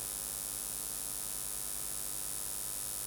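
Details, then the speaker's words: Neewer CM28 Pro wireless microphone receiver connected to a fast charger while recording: steady low mains-like buzz with faint pulsing hiss from charging interference; charger interference buzz. "So, I know that all three will have a buzzing noise. So, one thing that I can share with anybody using wireless microphone systems is avoid fast charging."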